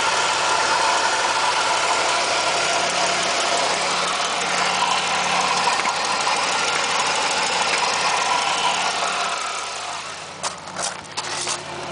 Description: Another video of the ticking noise.... 1997 Firebird 3.8L